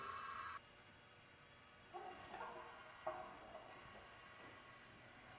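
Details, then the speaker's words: John Deere 310 diesel tractor engine, warm, leak-down test on cylinder 3: steady faint air hiss with light taps; cylinder holds only about 20% (others under 10%), possibly rings, source not pinned down. "okay there we got the leakoff test going here in number three we found a place in the cylinder where it won't hold very much air"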